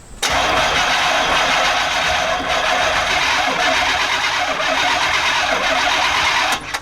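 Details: 1989 Chevy K5 Blazer, throttle body injected, air cleaner removed, spark tester on a plug wire. Starter spins the engine evenly for about six seconds but it never fires. Fuel pump primes for 2 seconds at key-on; crank-no-start.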